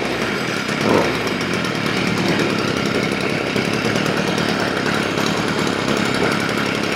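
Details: Stihl FS 55 trimmer that started then died and wouldn't rev, after a carburetor rebuild: a steady, high two-stroke buzz at constant revs with no surging or dying; fuel now appears up top and it runs steadier as it warms.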